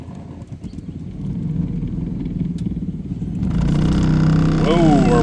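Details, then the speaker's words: 2012 Toyota Sienna blower motor kicking on partway: rising whir and warbling squeal over a rough hum; owner thinks the blower motor has seen better days and replaces it. "We got a little bit of a noise issue going on."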